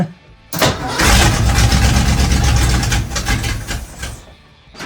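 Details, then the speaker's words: 1962 Ford Falcon with a V8 swapped in from an '80s Foxbody Mustang, first start in an unheated garage: cranks, catches quickly and settles into a deep, even burble with no misses or knocks; a healthy start. "it works either way that sound good so right now it's always hot for some reason it runs"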